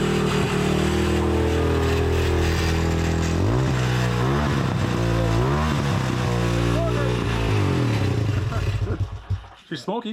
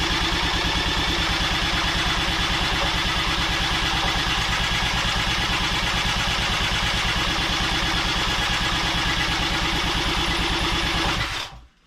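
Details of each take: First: 1985 Honda ATC200X single-cylinder, original engine, first run after flooding: steady idle with clean blips up and back down and no knocking from below; smokes heavily, likely needs a top-end rebuild, but the bottom end sounds healthy. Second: 1985 Honda ATC200X, in a will-it-run test before an engine swap: a single cylinder thumps at about three beats a second for eleven seconds, then dies. The spark plug shows it flooded out; once aired out it later ran smoky.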